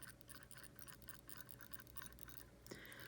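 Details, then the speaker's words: Orient Bambino (AC00009W) automatic dress watch: rapid dry scratchy rasps as the watch is moved, the automatic rotor spinning loudly and roughly, felt on the wrist. "Phone microphones can be pretty good at canceling that out, but it is absolutely a thing, and it is absolutely loud, and it's scratchy, and frankly, you feel it."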